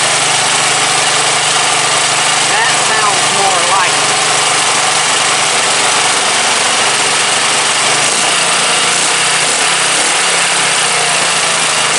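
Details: Briggs & Stratton 17.5 OHV single-cylinder lawnmower engine after new hand-cut gasket; steady even drone, clean unwavering pitch, no stumbles or knocks; starts every time on key, compression release working, runs healthy.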